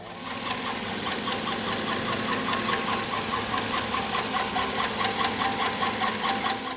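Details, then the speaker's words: 2008 Chevrolet Tahoe 4.8L LS V8, about 177,000 miles, driven low on oil: warm idle with sharp metallic knocks two or three a second heard from underneath, louder when warm; mechanic diagnosed a bad rod bearing, cylinder 2. "now you can definitely hear metal on metal underneath the engine when it's warmed up a little bit. So this is after the car has been warmed up and it sounds a lot louder."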